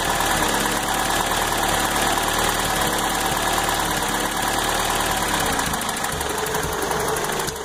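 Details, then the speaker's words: Toyota truck after new timing chain, oil pump and water pump plus exhaust work: harsh, uneven idle with busy clatter, engine rocking and struggling, steam from under the cap; much better with a little throttle. Rough idle, cause unknown. "see how it's rocking a little bit really struggling but with a little bit of gas it's a good bit better"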